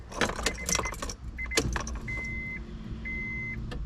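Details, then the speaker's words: Honda CR-V with B16 turbo swap on Hondata S300, key-on before first start; after key rattle and chimes, faint steady low hum for about two seconds; normal fuel pump prime, check engine light on. "Fuel pump priming."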